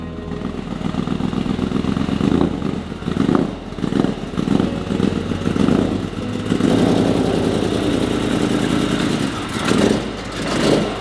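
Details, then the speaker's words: Supercharged BMW E92 M3 V8, fresh from exhaust, rod bearing and engine mount work. It revs and drops back unevenly, surging and stumbling instead of settling; "doesn't sound healthy". Rough running, fault still being diagnosed. "she don't sound healthy it doesn't sound good does it"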